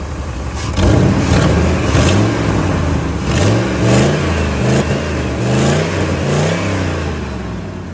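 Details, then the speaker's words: 1999 Ford F-350 5.4L 2V V8 after new spark plugs and ignition coils (a loose and a broken plug found): revs up and down smoothly without missing, but a loose puffing tick rides over it; exhaust manifold leak. "As you can hear my nice exhaust leak over here, but as far as missing and everything, that's all but going."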